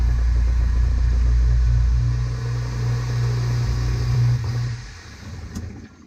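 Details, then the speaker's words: Replacement garbage disposal under a sink, just installed, switched on with water running: steady deep motor hum for about five seconds, then a clean wind-down, no rattles; no leaks; normal running. "You have to turn the disposal on at the same time. There you go, it's running."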